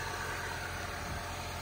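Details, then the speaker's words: Saab 93 after spark plug work and rocker cover leak repair: even, steady idle with a smooth hum at constant speed and no misses, knocks or engine shake; healthy engine. "Turn it down, and you can see here, zero engine shaking. Beautiful, zero engine shaking."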